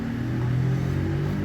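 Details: VW CrossFox wheel hub spinning free with the half shaft disconnected: a low, steady droning rumble from a badly worn wheel bearing with visible play. The hub and bearing were removed for replacement.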